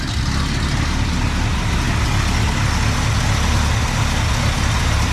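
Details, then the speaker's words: 1961 Cadillac 390 V8 running with no muffler and pea-shooter exhaust, checked after glitter was found in the oil: loud, even rumble, no knocking, quiet up top, oil pressure over 20; sounds healthy. "actually don't like the sound of that with no muffler at all. That sounds terrible. The old 390 with no muffler and pea shooter exhaust."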